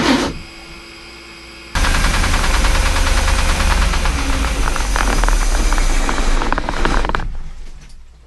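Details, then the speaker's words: Chris Craft Commander 410 454 marine V8 fed old gasoline of unknown age (possibly 5–10 years), at about 1500 rpm: hard, uneven rattling knock on the beat; owner suspects detonation from the old gas, not confirmed. "okay well that was odd it was making a lot of noises there like it was uh detonating or something maybe it is um but it's not even that low to set just running at you know 1500 rpms or so"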